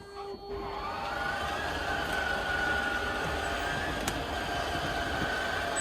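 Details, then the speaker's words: Schwintek RV slideout after Lippert replaced one side, in cold weather: steady, even motor hum with a faint high whine throughout, no grinding, clunking or labouring as it extends smoothly, faster than before repair. "they replace the one side it's working great all right we're going to bring the slide out in and now we'll send it back"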